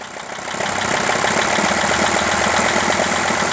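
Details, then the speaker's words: Mercedes ML 2.7 diesel with dual-mass flywheel bolted solid, gearbox removed; loose uneven knock about three or four a second at start, persisting as revs rise gently; flywheel ruled out, crankshaft main bearing problem suspected. "Оп, мы слышим стук. Хорош, хорош. Заглуши. И еще раз запусти. Оп. Слышим стук. При запуске работает двигатель, такой стучочек."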